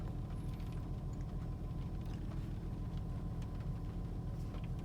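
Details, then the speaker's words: 2004 Honda Pilot idling after replacing Bank 1 Sensor 1 oxygen sensor (P0132) and clearing codes: steady, even low rumble, no stumble or misfire; rough idle and random misfires gone. "it seems to be running fine I'm just going to do a other ignition off so that the BTM would be clear okay I think it's idling better now no rough idle so I'll drive it around and see"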